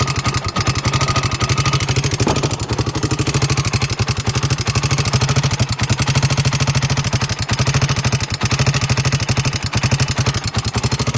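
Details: 2002 Honda 300ex single-cylinder quad idling with a loud, sharp, fast metallic tick on every firing beat, louder on the right side of the motor than the left; cause unknown.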